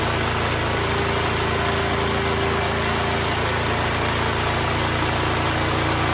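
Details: Neglected Duromax XP12000EH Hybrid Elite 12,000 W dual-fuel portable generator, revived and running off load: steady, even drone with no misses or knocks; meter showed 63 Hz; running good.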